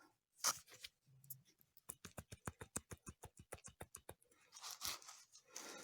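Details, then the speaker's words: Haval H3 front suspension creaking and grinding over bumps and when steering: removed lower ball joint, under half a year old, rocked by hand gives rapid dry clicking about seven knocks a second; worn out, replacing it cured the noise. "Если слышно, такие стуки у нее. Все, вся изношена."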